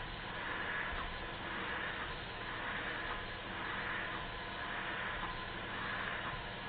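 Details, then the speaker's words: Model Stuart beam engine, after repairs and valve timing correction, final high-speed run; fast, even exhaust rush with no knocks or rattles, runs smoothly and nothing drops off. "one more highspeed run to make sure nothing drops off it and it doesn't so I'm going to leave it running to the end of the video"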